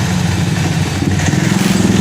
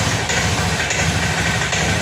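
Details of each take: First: Honda Scoopy fuel-injected automatic scooter after cleaning a dirty injector; it had sputtered and died when throttled. It now pulls cleanly through repeated blips, rising and falling smoothly with no stumble or cut-out: normal revving, fault fixed. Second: Honda Scoopy fuel-injected scooter: at idle it sputters unevenly with no steady rhythm and dies when throttle is opened; rough idle, fuel pump suspected first.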